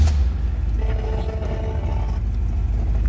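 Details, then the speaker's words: 1969 Chevrolet Impala convertible V8 with about 46,000 miles: starts easily, catches at once and settles into a deep, steady, even idle with no misses or knocks; a healthy start. "fire it up so you can hear it run. See how easily that started."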